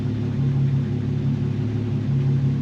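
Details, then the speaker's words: 1946 Studebaker M5 truck with an AMC 258 six on its old carburetor, idling low and uneven, rumble swelling and sagging; owner suspects a vacuum leak at the throttle shaft bushings, not confirmed. "i can hear a vacuum leak it's probably leaking around the road with throttle shaft bushings and it's been driving like garbage it's going in the rough idle now you can hear it check it out"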